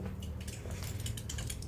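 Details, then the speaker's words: BMW N52/N54 E90 after Mickey Mouse coolant flange replacement, ignition on, heat 28° fan low auto, pedal floored 10 seconds: low steady hum with gurgling as the electric water pump bleeds air from the cooling system, runs 10–15 minutes. "That noise is your electric water pump bleeding the cooling system for you. So, this will run for about 10 15 minutes."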